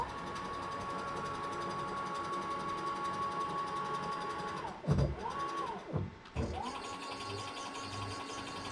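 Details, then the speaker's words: Late-1970s Bridgeport Boss 5 CNC knee mill retrofitted with a Masso controller and Gecko G203v stepper drivers: a smooth stepper whine dipping as the axes move, with faint clicks from the mechanical axis counters. Normal motion. "a little clicking you can hear is actually just a feature of this mill there's a counter here like a really old odometer on the car"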